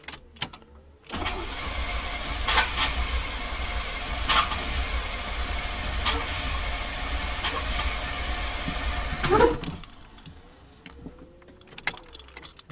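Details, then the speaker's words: 1990 GMC 350 small-block V8 first start attempt after engine swap: starter churns about eight seconds at a steady, uneven chug without firing; cranks, no start. Oil pressure present; owner suspects ignition timing is off. "uh it's definitely it's probably out of time for one I got oil pressure okay I do not get it firing though so it's no gas"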